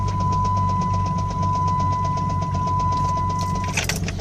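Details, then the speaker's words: Engine at idle with 40 psi oil pressure, temperature not above 210: sharp, even knocking about four times a second, louder than a lifter tick; it started as a lifter cluck, fades at higher rpm and slaps on deceleration. It comes from the engine's centre below the intake; cause not yet found. "That's a lot louder than a lifter. But this initially started off as a lifter. a cluck. So it kind of goes away at a higher RPM, but as you decelerate, it slaps."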